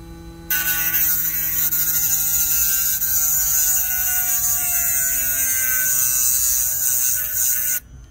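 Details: Hard-disk (HDD) motor spinning a 6 cm Dremel diamond disc, hand-bored to 2.5 cm, facet-cutting stone dry under load: a steady high whine holds firm, dipping only slightly in pitch as the disc bites; the motor runs smooth and healthy.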